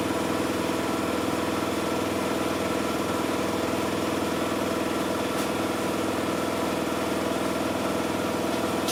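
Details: Miele Softtronic W6544 washing machine, drum loose and noisy (bearing damage questioned): heavy regular thump about twice a second over steady motor hum; drum loose on a cracked drum spider (Trommelkreuz).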